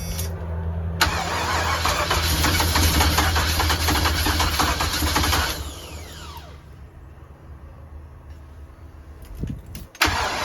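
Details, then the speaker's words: 454 big-block V8 RV, first start after primed fuel pump and fitted plug wires and vacuum lines, on a cold 27° day. Labored cranking catches into a rough, uneven run, dies and is recranked; ignition timing too far advanced. "okay where we're at on timing that's definitely too far Advanced"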